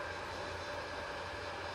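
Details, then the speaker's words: Creality Ender 5 Plus with a MicroSwiss Bowden dual gear extruder, after a MicroSwiss suggestion cured constant screeching: steady, even whirring with no screech; normal quiet extruder operation. "as you can hear the screeching's gone microswiss suggestion worked"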